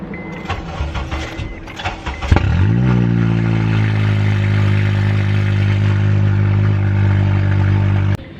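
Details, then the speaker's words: 2007 Honda Accord after its catalytic converter was stolen, O2 sensor ripped out: engine cranks, catches, then settles into a loud, deep, raw drone at idle; loud exhaust from the missing catalytic converter. "so obviously catalytic converter is gone um it is loud huh"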